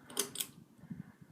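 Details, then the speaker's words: Early-to-mid-1980s Carroway EF-100 ceiling fan (0.68 A) on low speed, after being loud on medium: sharp ticks, then soft uneven knocking as it wobbles. The owner attributes this to the bracket, which is missing its suppressor, not the motor windings. "yeah it's pretty loud on medium yeah no and that's not windings that's that's the bracket because it wasn't like that"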